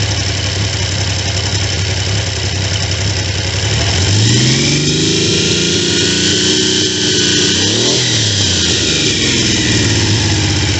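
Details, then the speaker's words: Triumph T150V triple after heads and cylinders were removed to fix numerous oil leaks, started on second kick (first kicked back); settles to even idle, blips up and down cleanly twice, smooth steady firing, no knocks; normal idle and rev. "Started second kick."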